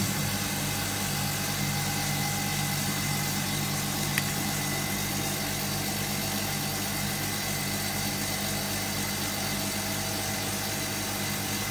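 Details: Hotpoint Supermatic De Luxe 9414 twin tub, final spin after fitting new belts: an even steady hum, with no slapping, squeal or rumble; belts and drum run smoothly.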